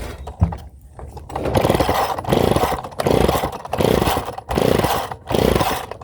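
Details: Rebuilt pull-start engine, first start attempt: uneven bursts of firing that catch and die, as if starved of fuel. Owner suspects a carburettor float stuck open; fuel is leaking and wet.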